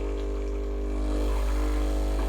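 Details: Breville Barista Express BES870 pulling an 18 g double shot at about nine bars, roughly 50 g out in about 20 seconds: steady, even low buzz from the vibratory pump holding pressure, no sputter or surging, normal pump operation.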